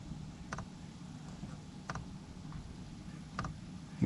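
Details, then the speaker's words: Planar 44D diesel air heater in a portable Alubox camping setup, at startup before the burner fires. Its fuel pump gives sharp single clicks roughly every one and a half seconds over a soft fan hum, metering fuel normally. "clicking that's the fuel pump which you can see mounted up over there in the corner"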